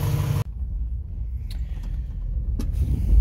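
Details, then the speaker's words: 1955 Chevy Bel Air convertible V8, first start in 30 years after fitting the correct coil and priming the carburetor bowls with gas: deep, even rumble settling into a steady idle that builds slightly; running smoothly. "Purrs like a kitten. This engine hasn't started in 30 years. She's running pretty good now."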